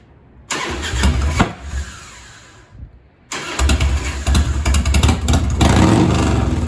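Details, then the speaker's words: 1997 Harley-Davidson Heritage Softail Classic, 80-inch Evo V-twin, with a newly installed S&S Super E carburetor and the idle screw turned down about half a turn from too high: catches and dies, then restarts into a loping, uneven idle. "The idle screw is real sensitive. I had it turned up about a half turn too high. So I'll start it up and check it out."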